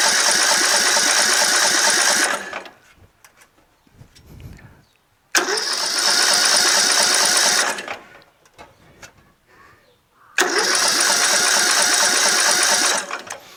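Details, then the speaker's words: Rebuilt tractor with newly installed engine, flywheel, magneto, carburetor and fuel system, starting fluid sprayed, about an inch of gas: three two-second cranking bursts, tries to catch but never runs; cranks but won't start, spark present. "i mean you heard a little piece of it it tried to turn over but just not quite you know"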